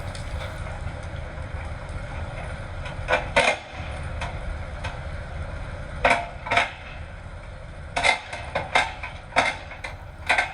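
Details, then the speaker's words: Auction-bought 8-basket hay tedder run behind a John Deere 7520 tractor: irregular sharp metal-on-metal clanks and scrapes over steady tractor drone; owner suspects tines hitting each other, cause unconfirmed; one rotor gearbox also leaking water. "Metal rubbing against metal. Not a good sound. Not a good sign. It could be the times hitting each other, but we need to figure out what that sound is and fix it."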